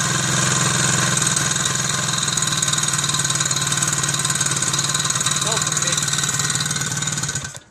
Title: Soviet Izh Planeta 3 (Иж Планета 3). Strange noise